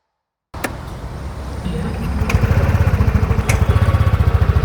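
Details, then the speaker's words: New 2024 TVS Jupiter 110 scooter with integrated starter generator, stationary: near-silent start with no starter whine, then a soft, steady single-cylinder exhaust putter; healthy, quiet start. "വണ്ടി start ചെയ്ത ഒച്ചയാണ് തീരെ sound ഇല്ല. ഇതാണ് വണ്ടിയുടെ exhaust sound വരുന്നത്."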